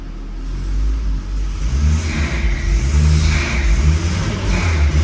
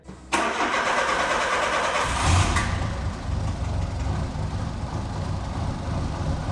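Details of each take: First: Tuned turbocharged Peugeot 309 with a TU engine, revved while kept from stalling: engine blips up and falls back several times with a rushing whoosh rising on each rev; the turbo behaves normally, though the car tends to stall for unknown reasons. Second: Peugeot 309 cranked, started and idling loud, raspy and uneven from an exhaust leak at the flex pipe, made worse because the clamp is tightened only on the braided section.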